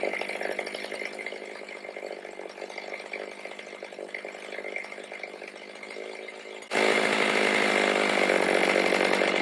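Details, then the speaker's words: Stihl MS310 chainsaw after a no-start repair needing no parts, carb adjusted: crisp even two-stroke buzz that opens cleanly under load biting into hard cedar; running properly, cutting likely limited by dull chain and rakers not taken down. "She'll cut a lot better, but she's running like she's supposed to, and that cedar wood is extremely hard."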